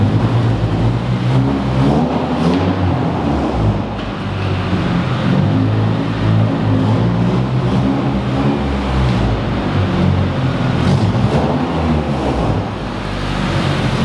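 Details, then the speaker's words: Honda Civic Si that keeps overheating after one head gasket replacement, idling: lumpy, uneven idle with a low beat that stumbles and drops out irregularly; cylinder misfire from a warped cylinder head. "all right so you guys obviously hear the misfire this car is doing"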